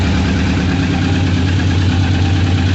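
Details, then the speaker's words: 1998 Suzuki Katana 600 carbureted four-cylinder after new petcock and vacuum line, idling with no choke (previously ridden with choke on), warming up; steady even deep burble, no misses or hunting; normal idle. "he was riding around before with the choke on let's let it warm up a little bit but yeah everything seems to be all right"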